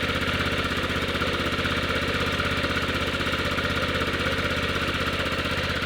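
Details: 1998 Yamaha Grizzly 600 single-cylinder ATV after wet clutch replacement and one-way bearing fix: fast even idle around four firing beats a second, slightly lumpy as if on choke but healthy; owner reports it sounds good with more power than ever.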